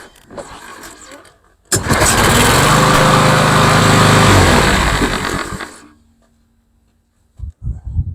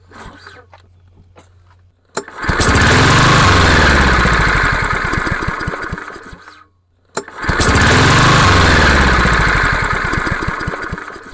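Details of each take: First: Craftsman (MTD) lawnmower, PowerMore 140cc engine, after carburetor clean, oil change and blade service (previously started then died): catches on first pull, runs steady and even a few seconds before shutoff; normal running. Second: Craftsman (MTD) lawnmower, PowerMore 140cc engine: fires and runs a few seconds, then sags and dies, twice in a row; starts then dies from a carburetor fault.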